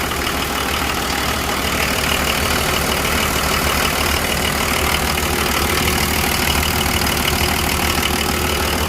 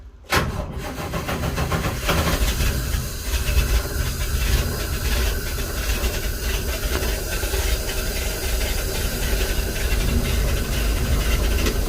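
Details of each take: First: 1984 Nissan Patrol with the SD33 diesel, idling after sitting for months: a steady, even diesel clatter of about three beats a second with no misses or knocks. It runs really good, with only a slight leak noted. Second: Nissan truck with a carbureted petrol engine, cold start after sitting for months: loud, uneven, lumpy running right after it catches. The owner says it normally fires up and runs smooth, and the carburetor is now half full of fuel.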